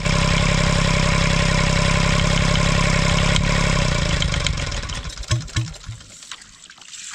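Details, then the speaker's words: Kubota L722 3-cylinder diesel (about 0.8 L) with heavy internal rust and a rebuilt injector pump: steady clatter at about 220 beats a minute, then loud irregular clunks as it winds down; cause unknown, bottom-end damage suspected. "That was some interesting knocking sounds. And I'm not sure what caused that."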